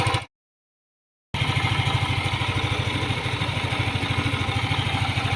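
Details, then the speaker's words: Yamaha Aerox scooter, hot engine at idle before teardown: steady metallic clatter about three ticks a second from the top end, appearing only when hot; worn rocker arm roller. "yung before natin kalasin yung aerox ganito sa Kaingay"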